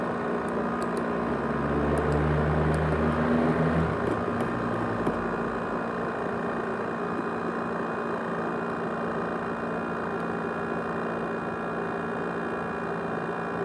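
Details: Abnormally loud, steady rushing whir with a few fixed tones, like a small jet, from an ASUS X543UA laptop's 500GB hard drive (USB HDD), which also rattles; the drive is roaring abnormally.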